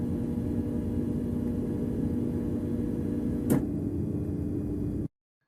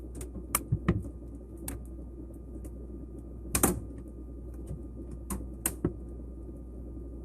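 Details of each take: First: LG refrigerator, typically new, with the water supply not connected and the ice maker left on: steady low buzzing hum with a click near the end as the ice maker tries to take water. The ice maker should be turned off. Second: LG refrigerator during defrost, which runs every 4–16 hours as the zero-degree cabinet is heated to clear frost off the coils: irregular sharp pops and ticks over a low hum. Normal cabinet expansion and contraction creaking.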